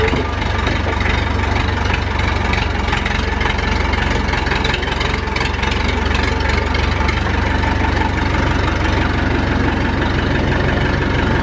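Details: Massey Ferguson 165 tractor diesel, long-stored and started for its yearly run, at steady low idle: even clatter with a smooth, consistent beat, no misses or knocks. Sounds healthy.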